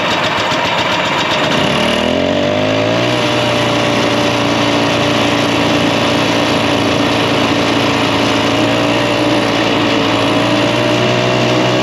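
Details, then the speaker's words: 1967 Ski-Doo two-stroke with a Tillotson carburetor, mixture deliberately set too rich: fires up into a buzzy idle that won't hold a steady rpm, skipping, jumpy and boggy, weak on power; rich mixture skipping. "The motor will start skipping. It won't have that steady RPM to it. It'll be jumpy and skipping and kind of weak on power as well, kind of boggy because it's too rich, too much fuel to the air."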